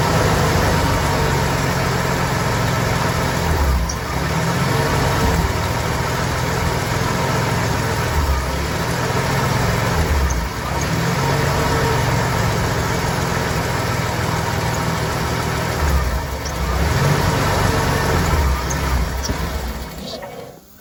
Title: Inline6 300 Rough Idle